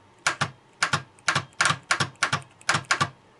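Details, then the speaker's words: Starter on test, energized with a homemade button instead of the ignition switch: sharp paired solenoid clicks, about seven in three seconds, with no motor spin; power contacts not closing or a fault in the starter itself. "Слышно, втягивающее реле срабатывает, но стартер не вращается. Значит, или неисправны вот эти вот силовые контакты, они не замыкаются или проблема в самом стартере."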